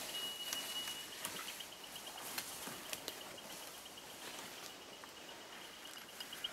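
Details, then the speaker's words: GDD Beep Mat prospecting detector outdoors: quick high-pitched beeps about three per second, beeping faster the closer it is to conductive or magnetic material; sitting over a strong signal. "you can easily hear the beeps you don't have to try to read the display because the display is terrible so more frequently that the machine beeps obviously the closer you are to some conductive or magnetic material"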